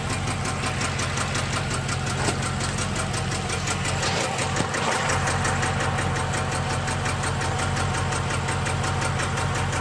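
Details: 6.1L SRT8 Hemi V8 with a random cylinder misfire. Loud idle with a fast uneven tick about three per second and a lumpy, unsteady beat; it idles and runs rough, and the cause is unknown.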